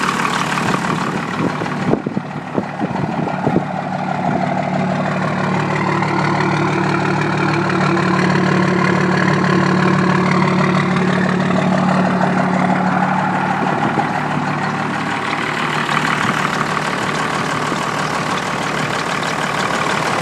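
A truck diesel settles into a steady, even idle with a low drone and no misfire knock.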